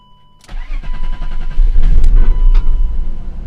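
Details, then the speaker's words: BMW E39 528 M52 with P0335 crankshaft sensor code, three sensors replaced, hard-starting and running badly: starter turns, then loud ragged lumpy rumble that stumbles instead of settling; running very rich, flooding. "sounds like a freaking train wreck when it starts and you can tell us that's all way the flooring back up and it smells so so so rich"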